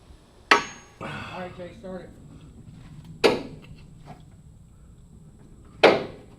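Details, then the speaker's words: Bus engine that had sat since the late 1970s, batteries hooked up and starter fluid sprayed in: three sharp metallic clacks with no cranking; starter seems to engage but just hits the flywheel, suspected not meshing with the flywheel teeth. "so it sounds like the starter is engaging but it's just hitting the the flywheel"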